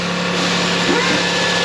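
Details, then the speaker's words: Older Toyota Highlander at idle after O2 sensor repair: sharp puffing hiss over the exhaust note from a screwdriver-sized hole in the pipe beside the oxygen sensor, flex pipe or manifold also suspected; exhaust leak. "might even be a manifold but either way something don't sound good [Music] well i fixed the o2 sensor but there is a leak and it's not that it's right there"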